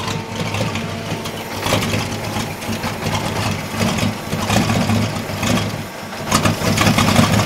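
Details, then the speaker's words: Holden 202 petrol six in a converted Caterpillar D2, just restarted after about 12 years: uneven, lumpy idle that stumbles and surges, with black smoke. Owner suspects the carburettor needle and seat are stuck open, flooding it and running rich. "I think the noodle and seats stuck open a bit it's flooding The Bu re but okay"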